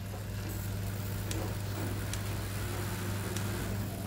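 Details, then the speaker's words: Mini neck fan, one side dead, opened for repair: quiet, steady, even low hum with no ticking or scraping as the side spins freely again; an internal wire had popped up and jammed the fan blades. "rồi bây giờ nó lại chạy rồi Như vậy khả năng bị chạm đít dây gì đó ở đây thôi"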